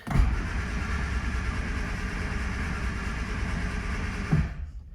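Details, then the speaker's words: Barn-find 1970 Morris 1300 (ADO16), sitting many years, throttle open with starting fluid sprayed: steady, even cranking for about four seconds with no catch or firing. It seemed to have no spark, though a later check found a strong spark. "I don't think we're actually having any Spark"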